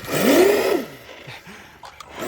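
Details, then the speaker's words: Traxxas Slash 2WD RC truck with 2.8-inch belted paddle rear tires on asphalt: motor whine swells and falls with throttle bursts under rough scraping hiss; paddles on pavement and tires slightly rubbing the body. "I'm surprised it's able to pull, like it is rubbing a little bit. You can hear it. That's a combination of the paddles on the cement or on the asphalt, which obviously these are not meant for. And also it's rubbing the body ever so slightly."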